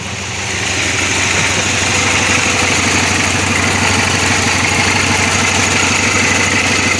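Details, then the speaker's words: Supercharged 2006 Pontiac Grand Prix after a drivetrain/top swap, warm after the drive home: trans temperature 152, check engine light off. A steady, even idle with no misses, knocks or tapping. Normal warm idle. "still sitting here idling and it's crazy like once it's in here idling the check engine light goes off now it's not trans temps 152 still blowing nice heat seems to be running a lot better now"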